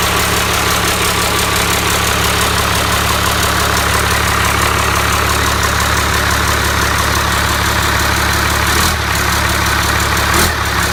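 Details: Cummins 5.9 12-valve diesel, first start on engine stand, hot-wired starter, destined for a truck: steady even diesel clatter at settled idle, no misses or knocks; running cleanly.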